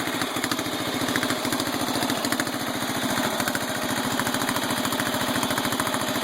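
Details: Mower engine ("The Bio Hazard") after repair: carburetor screw had shaken out and jammed inside, the broken screw was found and it was reassembled; steady even beat, clean exhaust note, no surging or hunting; normal running.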